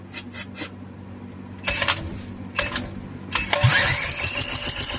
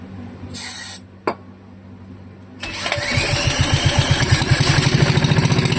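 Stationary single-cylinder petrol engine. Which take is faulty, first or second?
second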